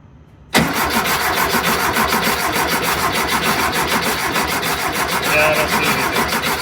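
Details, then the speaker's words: 1973 VW Thing with swapped-in VW Beetle engine, cranking with no firing to test the fuel pump: steady even cranking rhythm, engine spins freely, but no fuel delivered; pump not working, diaphragm suspected, replacement planned. "no gas yeah just the fuel pump's just not working yeah time to get a new one or rebuild I guess get a new one this must be that diaphragm"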